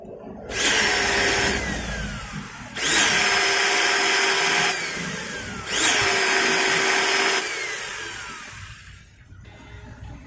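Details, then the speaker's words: Maktec MT90 angle grinder, tested with its worn upper bevel gear removed: motor revs three times with a harsh, scratchy whine and altered vibration, like armature rubbing the stator, from a loose, worn armature bearing. "suaranya masih terdengar kasar dan seperti gesekan juga ya antara armatur dengan gulungan stator dan ini terasa e getarannya juga berbeda"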